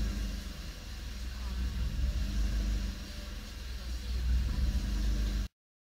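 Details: Suzuki Swift Sport ZC32S engine at idle: a low drone that sags and swells every couple of seconds instead of holding steady, an idle hunting fault.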